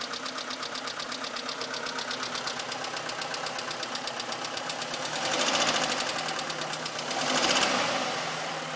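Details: Mitsubishi Colt petrol engine idling with a crisp, regular ticking about four per second over a quiet run; ticking goes away after a few minutes.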